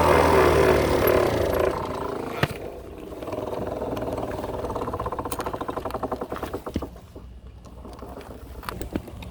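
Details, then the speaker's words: Tao Tao Pony 50cc GY6 (139QMB) scooter moving with front brake applied: rhythmic growling scrape pulsing with wheel speed; first suspected wheel bearing, found to be front brake line rubbing the tire after its retainer broke off. "looks like i spoke too soon it seems to be a problem with the brake line you can see there it's been rubbing on the tire the whole time and that is because the little retainer has broken off"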